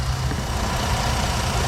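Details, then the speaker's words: 2012 Jeep Liberty 3.7 L V6 at idle: steady hiss over even idle rumble at one injector, reseals when wiggled; repair recommended before drivability problems. Vacuum leak at leaking fuel injector O-ring. "Yep, I hear it right there at that injector. If I wiggle it around, it has an opportunity to kind of reseal itself."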